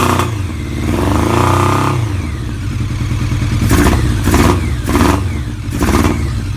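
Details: Kawasaki ZRX motorcycle revving: uneven, stumbling beat with irregular pops as revs rise and fall; engine misfire.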